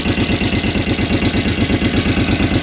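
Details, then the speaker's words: 2006 Kawasaki Brute Force 650 V-twin ATV that won't exceed 30 mph, low on power, smoking, exhaust gasket pinched, oil dripping: idle with loud steady ticking about six to seven a second, owner suspects valves; engine ticking at idle. "yeah oil's definitely dripping down I think it's a coolant line up there it might be coming from there but listen to that ticking tick tick tick tick"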